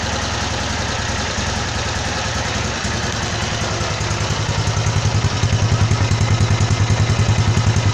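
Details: Honda CG motorcycle engine rebuilt to 262cc (CG 260R project), just finished: low, even single-cylinder thump at a steady idle around 1,500 rpm, beats evenly spaced without stumbles; a healthy, settled idle.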